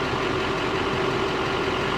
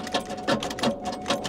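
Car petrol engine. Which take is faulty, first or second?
second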